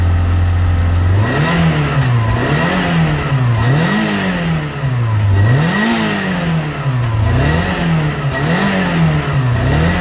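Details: Cold Peugeot 106 GTi blipped up and down about every second to keep it from stalling, running rough between revs; cold misfire clears near 5000 rpm and when warm, began after a harsh downshift into 2nd; new temp sensor fitted, cause unknown.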